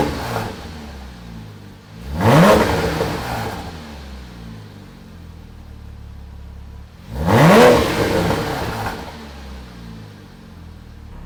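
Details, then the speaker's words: Porsche Cayman S 987 salvage rebuild, after fitting an aftermarket exhaust that removes the secondary cats: quiet idle, then two quick revs sweeping up and dropping back cleanly, louder exhaust, normal engine. "goddamn, it sounds good. Funny enough, idle is pretty much the same, which is lovely. It's not until you open it up then it becomes apparent it's an aftermarket system."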